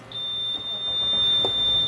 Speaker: and the engine should start right up you'll hear that beeping noise that is normal